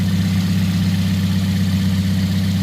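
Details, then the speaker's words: 2010 Toyota Yaris, 1.5 L 1NZ four-cylinder, manual, about 114,000 miles: smooth, even idle hum with no ticks, knocks or misses. Normal idle. "And she runs pretty smooth, pretty good. Sounds pretty good."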